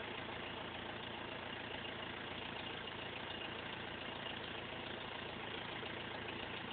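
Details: BMW E46 320d 150 hp diesel, first start after overhaul fixing swirl flap failure: steady even diesel clatter at idle, no knocks or misses; normal idle.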